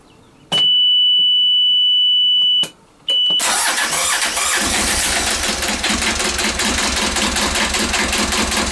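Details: Vetus diesel narrowboat engine after a long winter lay-up, restarted after freeing a stuck stop solenoid by pushing its plastic end button: steady high buzzer tone, then it cranks, catches promptly and settles into an even run, a normal start.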